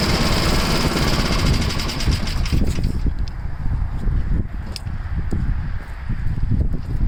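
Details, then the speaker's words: Tecumseh-engined snow blower started after sitting 10 months, choke on and throttle up, fitted with a new adjustable-mixture carburetor left unadjusted. The single-cylinder chugs at a fast, steady beat, holding speed without surging or missing. Runs healthy. "I'm just going to leave it alone. It seems to be alright. High speed. Runs good for a Tecumseh."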